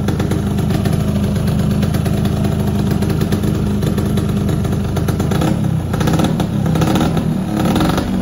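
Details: Yamaha F1ZR two-stroke motorcycle test-started after an engine block teardown and reassembly: steady crisp buzz at fast idle, then a few throttle blips that pick up cleanly with no knocking; normal running.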